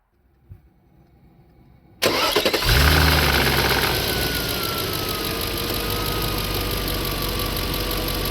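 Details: Audi A6 C5 4B 4.2 V8 Quattro five-valve engine, cold start: starter cranks, engine catches and a fast metallic rattle rides over cold idle; worn chain tensioners and failing non-return valves let timing chains slap, before repair.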